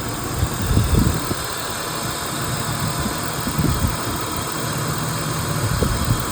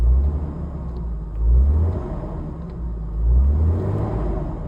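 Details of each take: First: 1997 BMW 328i E36, old MAF sensor plugged in while idling: uneven lumpy rumble with stumbles, zero change versus unplugged, idles better without it; failed MAF sensor, rough idle. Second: 1997 BMW 328i E36, new MAF sensor fitted, live data showing it responding: deep steady rumble swells cleanly with two throttle blips and settles back; normal revving.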